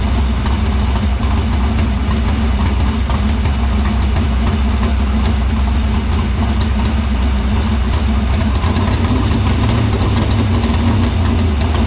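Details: Dirt Silver Crown race car idling in the shop after getting fuel through the filter and main lines to the pump and barrel valve; deep, steady, even rumble, no misses or knocks; fuel system checked out good.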